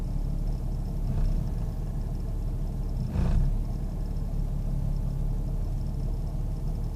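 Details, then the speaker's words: 1998 Jeep Grand Cherokee Laredo at idle: low rumble that sags and surges twice in seven seconds as if about to stall, doing it on its own; rough idle, cause not found. "It's just doing this all on its own. It's like it wants to stall out. I don't know."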